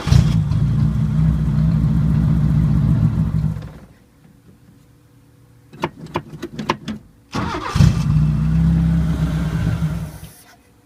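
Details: 1980 Chevy Luv, carbureted engine barely run in years, anti-dieseling solenoid reconnected, vacuum line plugged, fuel pump running: runs unevenly a few seconds, fades, clicks, fires again and dies; won't idle. Owner suspects air leak, plans opening carburetor; unconfirmed.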